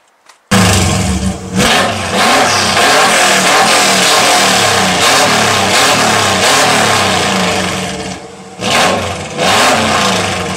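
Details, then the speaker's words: 1995 Subaru Legacy on its first start since August after work (turbo relocated, engine painted); smoke came off the battery while cranking and something probably ought to have been hooked up. It fires up and revs unevenly with a loud, raspy roar far above normal; cause unknown. "Just a little bit? My God, that's loud. Oh, Lord Jesus."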